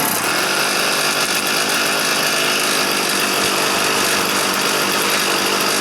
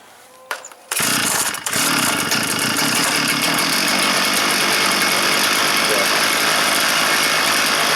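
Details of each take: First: Stihl FS 400 brushcutter that would not start (spark present, plug dry, fuel not reaching the chamber), started indoors with the choke closed: it runs at a steady, thin buzz but won't rev. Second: Stihl FS 400 brush cutter that would not start (spark present, plug dry, fuel not reaching the chamber), primed, cold-start position, fuel low in tank: catches at once with a quick pull and holds a steady high even buzz without stumbling; running healthy.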